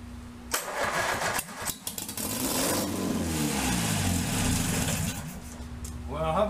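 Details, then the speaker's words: Starter churns on a 1947 MG TC XPAG engine, laid on its side about 40 years, now on a stand with carbs not yet sorted and no cooling water; it catches on squirted-in fuel, runs ragged with a cloud of smoke, then stalls when the primed fuel runs out. "that didn't run very long but it runs a cloud of smoke and a hearty high hole silver"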